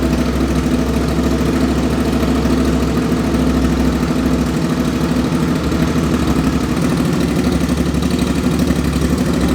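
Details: 2005 Suzuki V-Strom 650 twin, freshly swapped very low-mileage replacement engine (old one had rod knock), first start without muffler: loud, raw, even idle with no knocks, ticks or drips; normal healthy idle.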